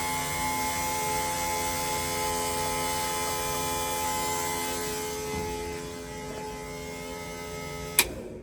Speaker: now we need to prime the whole system and this is the scary part should crank and then there we go we got three and a half bar fuel pressure and we heard it go through there